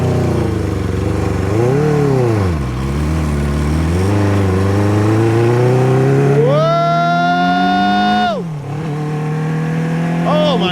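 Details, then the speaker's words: 1978 Kawasaki KZ650 four-cylinder on first ride after revival, riding down the road with revs kept up to avoid stalling, fuel leak present: clean strong pull rising smoothly through gears with crisp shifts; normal acceleration. "Oh my God, it sounds good."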